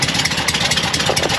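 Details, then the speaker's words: Porsche 912 at idle, still needing tuning. Sharp, rapid puffing ticks on every firing pulse come from an exhaust leak, with black soot. Fresh air entering the exhaust causes backfiring. "It's just an exhaust leak and you're getting fresh air into the exhaust. That's the problem."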